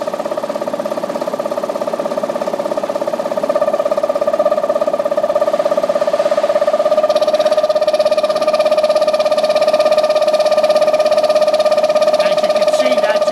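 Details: General Air Products LT Series lubricated tank-mounted reciprocating fire-protection compressor for a dry-pipe sprinkler system; loud steady drone with strong mid-pitched tone rising slightly; excessive noise from improperly installed air intake filter.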